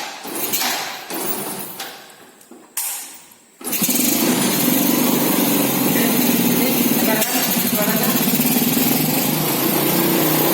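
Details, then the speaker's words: Four-stroke motorcycle after valve clearance adjusted to factory spec and spark plug cap refitted: clicks, then engine fires and holds steady even idle with no top-end ticking; normal idle after repair. "Kita dengar bagaimana suara mesin setelah dilakukan penyetelan celah katup sesuai dengan pabrik."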